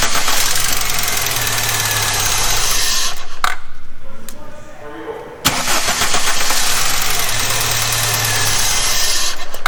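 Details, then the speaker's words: VW Mk3 with 2.0 L ABA engine and 5-speed manual, non-runner, during spark test: starter cranks at about four beats a second, engine catches briefly and dies, cranking resumes; starts then stalls, cause unconfirmed, scan tool found nothing. "so we're going to do a basic spark test on this thing uh when I crank it see if it's still getting spark after it dies"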